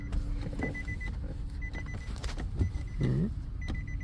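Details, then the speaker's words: Nissan 370Z no-start with a dead battery, after jump-box power is applied: repeated short chimes and a brief motor whir near the door. Mechanic suspects the door switch keeps making noise and drains the battery. "e battery is dead because of the door switch making noise over here constantly as as you open the door"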